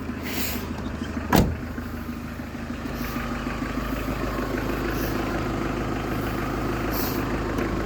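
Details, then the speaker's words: Faint steady whistle-like hum at idle, from the engine front where the V-belt drives the alternator and pump: failed tensioner/idler pulley bearing. "O gelen ses bu romanlardan geliyor yani be kayışının bağlandığı şarj dinamosunun de pompasını bağlandığı yerden geliyor arkadaşlar rulmanlardan yani gergi bilyası dediğimiz Biz sorunun yerine bulduk"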